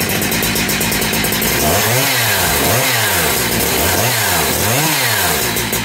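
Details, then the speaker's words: Cheap second-hand big bore 52mm 372XP chainsaw kit with a 272XP pop-up piston and thicker base gasket, first run after reassembly. It revs up and drops back about four times, crisp and even with no stumble, running better than with the old piston. Normal running. "but yes it seems to run and she does seem to run better than she did with whatever pistol it was"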